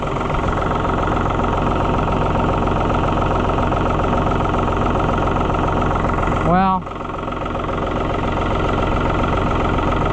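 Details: New Holland TN75 DA diesel tractor just after hydraulic pump replacement, small diesel fuel drip noticed: steady, even diesel clatter at idle with no misses, knocks or surging; engine sounds healthy.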